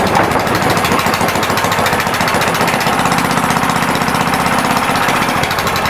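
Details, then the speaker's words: Neglected Honda GX160 on a Doodlebug DB30 minibike, first run after refitting the carburetor and adding oil: a steady, slightly rough single-cylinder thump. It runs only when heavily choked; owner suspects too little fuel for the air and plans a jet swap. "Pretty much is only running when it's like super choked. So, I don't think it's getting enough fuel for how much air is coming in."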